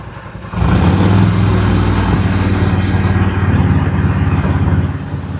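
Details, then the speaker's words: 1999 Harley-Davidson Road King, carbureted, idling after a new carburetor: a deep, even, loping beat with no stumbling or clatter, runs great, but it smokes heavily from the exhaust; the bike sat for years, possibly stuck rings. "Runs great. Just don't know why it's smoking."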